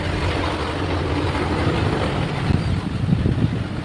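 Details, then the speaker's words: Usha Farata pedestal fan after replacing both worn bushes that caused squeaking: steady airy whoosh with soft low rumble, even speed, no squeak or rub; running smoothly. "अब दिखाते हैं आपको यह चला करके पंखा कितना बेहतरीन हवा दे रहा है।"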